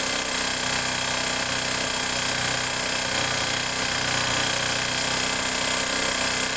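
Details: Factor 150 motorcycle idling with a busy sharp metallic clatter over a steady beat of about three per second; engine noise of unclear cause.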